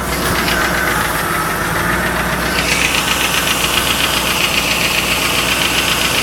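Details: 1995 Lincoln Mark VIII LSC, Ford 4.6 DOHC modular V8, at idle: a quick, fairly even light tapping of two to three a second. The owner is unsure whether it is lash adjusters or piston slap or rod knock.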